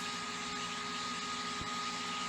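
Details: Xbox Series S with slow fan and overheating, powered off, control pin removed so fan gets steady 12 V: loud steady airy rush with fixed high whine, no speed change; fan forced to full speed.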